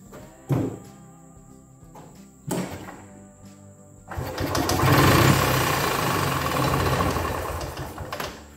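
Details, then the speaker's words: 1983 EZGO two-stroke golf cart that previously wouldn't turn over, spark plug wire off: a couple of starter thunks, then even cranking with no hang-up at compression; normal free cranking. "well i'm happy that it'll spin over on its own now"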